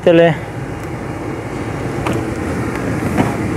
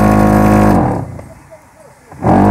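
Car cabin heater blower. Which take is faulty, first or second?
second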